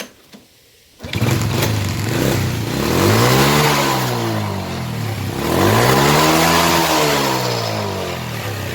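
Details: Motorcycle that backfired at the exhaust from an over-rich mixture, after blocking the exhaust air-injection part: engine catches and revs twice smoothly with no pops or bangs; backfire gone, temporary fix.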